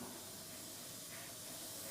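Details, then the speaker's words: Inexpensive 0.2 airbrush on thinned paint at low pressure: a soft, steady, unbroken hiss with a faint high whistle, sounding sweet; normal spraying of super-fine lines. "getting that nice sound you hear that just sounds nice and sweet like that brush is whistling and that's what you want"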